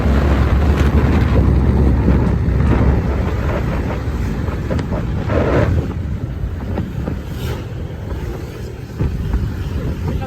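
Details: Honda Vario scooter on a road test after servicing and replacing parts, following owner complaints of frequent stalling and heavy throttle; engine pulls steadily under wind buffeting with no stumbling or cutting out, now back to normal.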